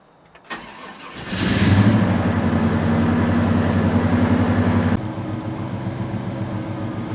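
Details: 1998 Gen VI Vortec 7.4L 454 in a 1970 C10: starts, then idles with uneven pulse and occasional stumble, no ECM faults, fuel pressure 47; suspected misfire, cause not confirmed.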